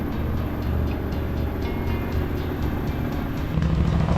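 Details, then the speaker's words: KTM 790 Adventure R twin idling during warm-up after a new intake and Power Commander 6 were fitted: a steady low rumble with an even beat and no knocks or rattles; normal idle. "Power Commander new intake, it sounds good."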